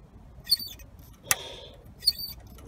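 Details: Jaguar X-Type turbo, sluggish, cleaned in place: the vane control arm, moved by hand, gives high, scratchy squeaks, each stroke ending in a sharp click; it is squeaky and sticking, before Mr Muscle cleaner was applied.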